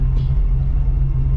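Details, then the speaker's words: 1985 Oldsmobile Cutlass Supreme with a brand-new carburetor and headers, undriven for 4 months, warming up: a deep, steady idle rumble holding speed without dipping, where a drop could make it shut off. "That sounds about where I want it to be. If you hear the idle, I don't want it to drop from there. If it drops from there, it can shut off on us."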